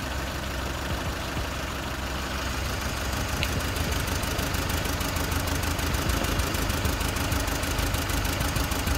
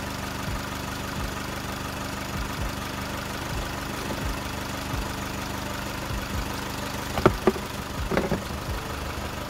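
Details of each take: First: Four-cylinder car running on three cylinders, shaking and low on power: uneven, lumpy idle with about three stumbles a second over the engine drone, heard during a plug-pull test. One dead cylinder found with no spark; suspected damaged coil or wire. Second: Four-cylinder car after repair: cylinder three was dead and its ignition coil was replaced; quiet steady even idle with no stumble, a few handling clatters near the end, all four cylinders working. Normal idle.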